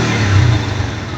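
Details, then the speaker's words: Kawasaki NS150 two-stroke after engine refresh: short, clean rev that rises and holds without stumbling or cutting out; it once stalled when revved, blamed on carburettor tuning, now sounding right. "Ayan, oh. Ang ganda ng tunog."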